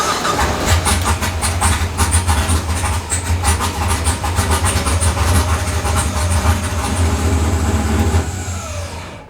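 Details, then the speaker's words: Drift car with tune switched to batch fire, disabling the cam sensor: starts and runs with uneven, slightly lumpy, shaky idle, no knocking; tune no longer perfect, problem likely isolated to cam sensor. "and so it starts it runs it was a bit shaky but obviously changing to bch fire you know the the tune ain't perfect anymore"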